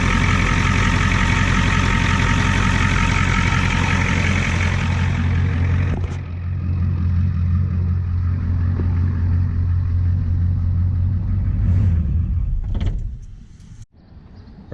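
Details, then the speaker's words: 1989 Ford F250 7.3 IDI diesel after near-complete fuel system replacement: deep, steady idle clatter with no misses, then clean shutdown; now cranks up every time, though owner notes blow-by. "right guys our truck runs now she cranks up every time"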